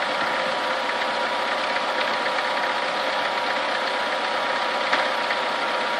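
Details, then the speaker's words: Chevrolet Niva idling as coolant warms from 30 to 70 °C; fast faint metallic tapping over a steady hum persisting when warm; engine knock of unknown cause. "Вопрос в том, что стучит."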